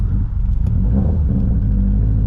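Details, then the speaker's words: Subaru STI on its first drive after engine trouble: a deep, uneven, lumpy rumble with irregular pulses while driving, with the air-fuel ratio all over the place; the owner suspects it is running lean or the cams are sticking, cause unclear. "listen to this thing sounds like hammered [ __ ] I don't understand it it's [ __ ] run and lean as [ __ ] like for no reason"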